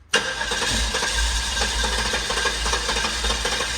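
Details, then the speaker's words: Guanci SSJ mid-engine V8 prototype, first start attempt after over 25 years in storage: long cranking with rough firing that catches and fades without settling into a run. Roughly 20-year-old gas and a varnished fuel system are suspected. "Ooh, it wants to. Some raptors coming out the exhaust, yeah. Oh, okay. Oh, it wants to. Man, it really wants to. It's probably just a 20-year-old gas."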